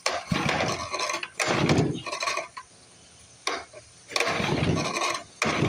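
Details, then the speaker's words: 1955 Briggs & Stratton model 6 (Sears), plug found oil-soaked and flooded, choke open: repeated pull-start bursts never catching, getting harder each pull, as if hydrolocking; owner wonders if muffler is plugged. "Acts like it's hydrolocking itself. It gets harder and harder to pull every time."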